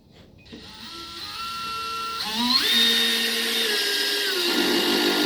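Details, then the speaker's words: Cordless drill driving a star-bit screw on clutch setting 1: rising whine then clicking as the clutch slips at the lowest torque setting, screw barely driven. "It's clicking. It's clicking and it's not drilling in that screw very much."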